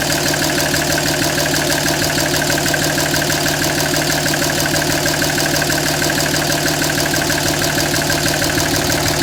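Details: 2007 Dodge Ram 5.9 Cummins diesel, loud busy idle clatter with pulsing beat about three a second, rough and uneven underneath; started a month ago. Intermittent fuel rail pressure sensor, MAP sensor and overboost codes (no boost fooler fitted); owner asks about blow-by.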